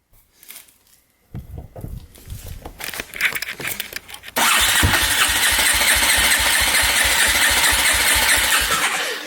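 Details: Polaris Predator 500 quad after finding debris in the gas tank, cleaning the carb, new petcock and fuel line: after a few cranks it catches and runs with an uneven, popping beat that won't settle to a steady idle.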